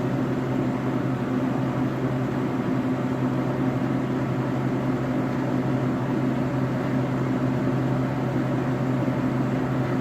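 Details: Bunn ice drink frozen-beverage machine on a food truck, after blowing out the radiator for poor freezing: smooth, even hum with a steady low drone and no rattles or cycling; the compressor is running normally.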